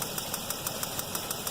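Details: 2007 Chevy Equinox 3400 pushrod V6, 100k miles, at idle: sharp even ticking like a bad lifter, about six per second, actually a spark plug wire visibly moving, loose or arcing; reseating the wire stopped the noise.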